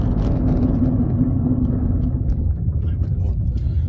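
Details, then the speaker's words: 2014 Ford Ka on a road test while braking from speed; heavy rumble with a rough grinding drone that fades as the car slows, steering wheel vibrating; suspected disc corrosion from the car rarely being driven. "quite a horrible horrible noise, actually."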